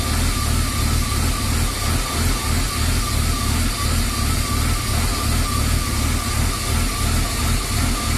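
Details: BMW E36 325i at idle before lambda probe replacement (MAF and throttle position sensor already changed, idle valve cleaned): idle hunts and stumbles about three times a second with uneven low thrum; fixed by changing the oxygen sensor.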